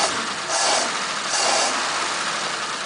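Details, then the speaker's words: 1941 Ford pickup with Holley 94 carburettor, after flooding problem, believed running all right: steady even hiss-heavy idle with gentle swells, no misses or knocks; normal idle (owner suspects hot-start complaints often come from running too rich). "he's running alright you get a lot of people complaining about those when they do a hot start"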